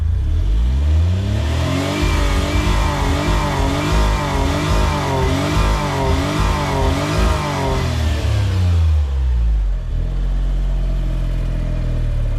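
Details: Autozam AZ-1 Suzuki Cara, warmed up after intake manifold, fuel rail, injector and pressure regulator work: revs climb smoothly then cut abruptly near the top, about 6000, and fall to idle; owner suspects reinstalled old fuel rail.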